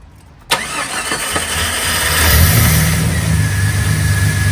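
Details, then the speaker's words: 1990 Jeep Comanche Eliminator, misfiring as if down a cylinder, after parts replacement and throttle body work: sharp start, then low, slightly uneven, lumpy idle; runs better but idle still too low. "believe it or not it's running i think better than when i bought it a year ago well we'll give this a shot still idle's too low"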